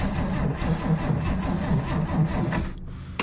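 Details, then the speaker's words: 1967 Chevy Nova barn find sitting for decades, last inspected 1982: sluggish, uneven cranking at about two turns a second that fades without catching. A weak battery is suspected. "seems that battery's getting a little weak might steal the one off my truck or something because i only brought one today"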